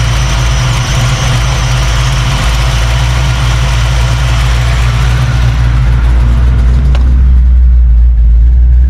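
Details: 1989 Mustang Notchback carbureted V8 after starter replacement and carb fix, base timing lowered to ease starting and drop idle: steady deep even rumble just under 1000 rpm, no misses or knocks; settled, healthy idle.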